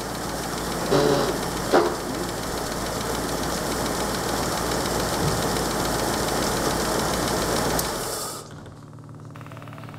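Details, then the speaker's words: 1938 Chrysler Imperial, parked for decades, running on partial choke: steady, even idle with a soft mechanical patter and no knock or miss before shutoff; runs well. "runs so good it's it's anticlimactic I can open the choke a bit more actually"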